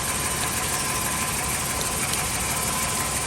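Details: 1996-2000 Chevy Tahoe V8 just after replacing the crank position sensor, starts right up with no codes: even, steady smooth idle with no knocking or misfire rhythm.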